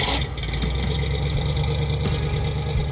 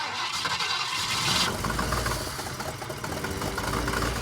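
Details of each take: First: Ford Falcon engine idling with a deep, steady, even rumble and no misses or knocks. Earlier smoke came from oil spilled on the exhaust heat wrap and the ignition timing was set incorrectly; once both were remedied it ran like new. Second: Ford Falcon that sat over 6 years: catches after cranking, then chugs unevenly with an irregular, lumpy beat and clunking; runs rough because the ignition timing is set wrong.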